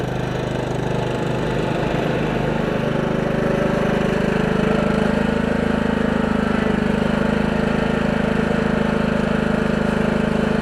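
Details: Lawn tractor started after sitting all winter, with an upgraded electric fuel pump and pressure regulator (the old 1.5 pump overfilled and flooded the carburetor, causing bogging). Firm, even thumping at steady fast idle with no bogging or surging; runs smoothly.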